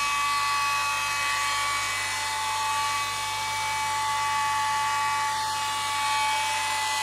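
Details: 2008 Mercedes E300 just after start-up: steady high-pitched whine at one pitch over the engine's hiss; owner suspects alternator or A/C, though the A/C compressor doesn't run; source undetermined.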